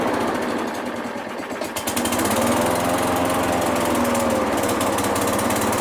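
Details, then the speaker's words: Craftsman mower with a Briggs and Stratton engine, first spring start after spraying carb cleaner into the carburetor, air filter refitted, pulled without priming: it catches and stutters unevenly, then settles into a steady buzz; hesitation assumed from an incompletely cleaned carb. "Now, it did kind of hesitate. That's, I'm assuming, because it wasn't completely cleaned out."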